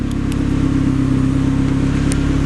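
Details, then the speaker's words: Turbo Mazda Miata on Hydra Nemesis EMS, cold morning start with still-cold motor running rich (AFR 13.1), wired microphone during walk-around; deep even idle pulsing steadily with no misses or stumbles; normal cold idle. "there it is running smooth on a cold morning"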